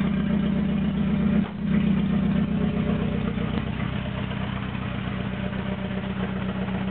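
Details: Toyota AE86 with naturally aspirated 4AGZE on a re-pinned bluetop harness, ECU, injectors and fuel rail, no exhaust past the downpipe: choppy, uneven, pulsing idle with a clear early stumble and sag; rough idle it struggles to maintain.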